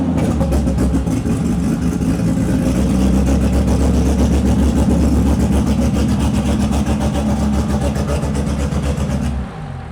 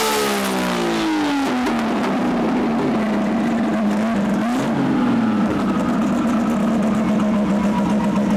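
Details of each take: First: RB-engined turbo car on the dyno after misfire troubleshooting on cylinder four (leakage 62-63%); heavy, loud full-load drone with uneven blubbery pulse, running way too rich; turbo damage suspected. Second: RB engine on dyno after plug and lead change: strong, clean high-power pull with the tone sweeping smoothly and steady, no stumbles or popping; earlier misfire (cylinder four suspected) now gone.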